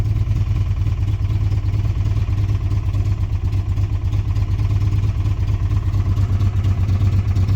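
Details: 1994 Chrysler Town & Country 3.8 from a scrap yard, first start, smoky, sweet smell: rough uneven idle that keeps trying to stall with a dull rattle; owner suspects a lifter rather than bottom end, unconfirmed.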